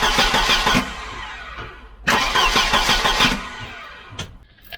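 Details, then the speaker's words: Volvo 740 B230F 2.3 Redblock automatic, cranking only (not started) to test the starter: two uneven, harsh cranking bursts at about three pulses a second; rough, worn starter motor. "so i think we can deduce if that's a word that our starter is rough and that's probably why he changed it"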